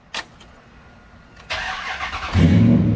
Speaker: that no drag no nothing